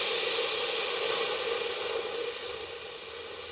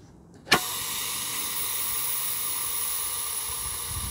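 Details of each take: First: Ronseal Precision Finish Fence Sprayer being depressurised before the pump handle is removed to top up paint: a steady, bright hiss of air venting that slowly eases off. Normal pressure release. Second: Ronseal Precision Finish Fence Sprayer switched to the first (accuracy) setting, microphone held next to it: a sudden sharp release, then a steady high hiss. The pressure relief valve is venting because this setting needs less pressure.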